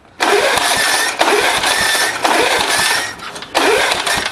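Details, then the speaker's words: Hard starting on an old 1970s (possibly 1971) Gillson mower with a 3.5 hp Briggs & Stratton: repeated pull-start bursts die without catching. A screwdriver trick helped before; the owner suspects the carb needs work. The gas tank leaks. "Put a screwdriver down here. That's how I got it to start the last time. I think the carb needs some work for sure."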